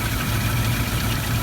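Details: Rover SD1 V8 being tuned to a 775 ± 25 rpm idle at 6° BTDC, tachometer taken from the coil: smooth, even low burble at a slightly slow idle with no ticks or misfires; timing reads bang on.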